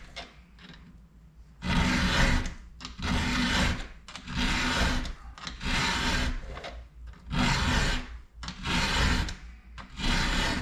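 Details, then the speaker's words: Hand-filing teeth of a Husqvarna chainsaw chain: even rasping strokes roughly 45 a minute, each a smooth steady grind across the tooth with little force needed; file is sharp and cutting cleanly. "you notice how smooth that sounds how it's got that grind sound all the way across that's that's a good sharp file you see i'm not really having to put a lot of force against the file that way it's kind of digging in on its own just because it's good and sharp"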